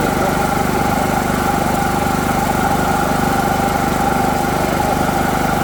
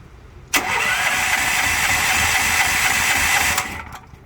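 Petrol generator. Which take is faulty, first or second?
second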